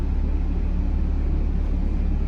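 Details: RV air conditioners with Micro-Air EasyStart 364 soft starters running on two Honda EU2000 generators: deep, steady hum and rumble without surging or stalling; normal running under load.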